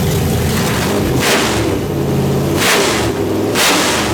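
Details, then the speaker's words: Nitrous small-block Chevy in the Brooklyn Dodger build, first start after fuel pump switched on and tires briefly spinning; fuel pressure possibly too high. Loud, lumpy V8 idle holding steady with a few throttle blips, no misses. Normal idle. "there it is it starts it runs it idles"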